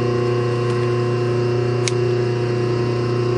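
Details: Rebuilt 1/2 hp dual-voltage single-phase motor with new capacitor and bearings, first run unbolted with no load, about 3 amps, not warming: even low electrical hum, smooth steady whir, no rubbing or knocks; healthy no-load running.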